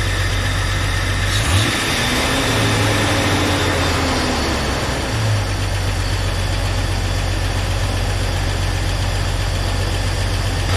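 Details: 1999 Jeep Cherokee, junkyard 4.0L inline six just installed, first start: smooth, even idle with a steady low drone, no knocks or misses, no check engine lights; normal idle.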